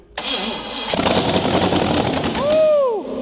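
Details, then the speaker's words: Used low-mileage Pontiac 350 with Turbo 400 for a 1969 Pontiac LeMans project, first start: brief crank, then it fires immediately and runs with a strong, even beat: normal start. "Immediate fire. Are you kidding me?"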